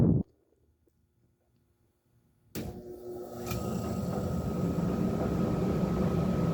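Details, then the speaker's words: 20-inch Lau barrel fan before re-power, belt drive with little belt tension and belt running off to the side: motor speeds up but blades lag several seconds before whoosh builds; loose belt slipping at startup. "do it again from over here so you can kind of hear how after the motor speeds up, there's a bit of a pause until the fan actually starts to get up to speed."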